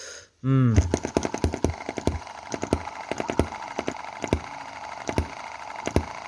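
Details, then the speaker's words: Chinese M19/EM2 hit-and-miss gasoline model engine, cam timing advanced one tooth: uneven popping beat with fewer skipped firings than before, possibly less power; misfire reduced, may need another tooth of advance. "there is less misfire so let's just check so that's coming around to the start of the exhaust stroke"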